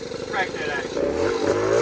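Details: Bombardier 90 two-stroke quad, revved by hand at the carb throttle; buzzy engine climbs steadily in pitch, pulling cleanly into its power band with a crisp rising wail.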